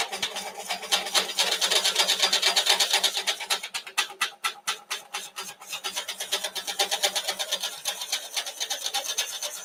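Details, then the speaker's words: Pre-production bowl-coring system on a woodturning lathe whose blade doesn't sit on the wear pad: harsh rasping cut pulsing about twice a second with buzzing chatter from the unsupported blade vibrating; fixed on production units. "cause that noise you heard was the vibration of it not being really supported. So if this doesn't work, we'll just grind through it with the noise."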